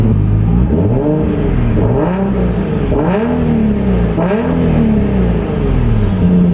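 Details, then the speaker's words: Turbo Z car, engine cold, after fixing exhaust leaks: several quick revs rise and fall smoothly with no popping, ticking or hiss between blips; engine sounds healthy. "how it's supposed to sound cold exhaust leaks boost sleek should be fixed"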